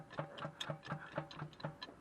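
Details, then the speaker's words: Subaru EJ257 turbo (Legacy GT) engine stopped, crank pulley rocked with a breaker bar: sharp metallic clunks about four a second from the oil pan, a worn rod bearing with excess clearance. "that's coming directly from in the oil pan so i know it's a rod bearing a hundred percent now i can proceed with tearing the engine apart"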